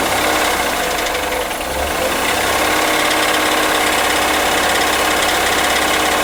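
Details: 2003 Acura MDX V6, 208K miles, misfires on all six cylinders: steady loud ticking knock three or four a second at idle; suspected jumped timing tooth, dealer suspects wrist pin or rod bearing; valves ticking, water pump sounds bad, timing belt overdue.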